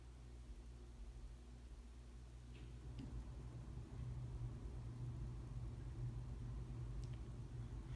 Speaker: then noise you heard is just the uh the ac kicking on because we got central air in our house so that's what that is